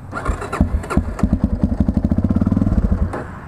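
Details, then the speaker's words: 1999 Yamaha TT-R250: cranks, catches and runs evenly about two seconds, then dies; owner suspects tuning is off. "like it'll start I'm not trying to drink myself it'll start like that you think like oh it has a chance but then then it just keeps dying yeah here's tubby you can hear it wants to die"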